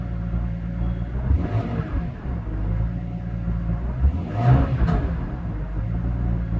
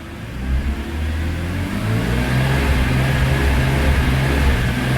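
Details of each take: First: 2002 BMW E46 M3, almost 200,000 km, after replacing the TPS sensor: deep, even engine note climbing slowly through the revs with no sputter or cut-out where it used to sputter; normal revving. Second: BMW E46 M3 petrol engine running warm: uneven, faltering low drone that stutters almost like a misfire, worse when hot, with lost top-end power; suspected Vanos, actually a faulty throttle position sensor, fixed by replacing it.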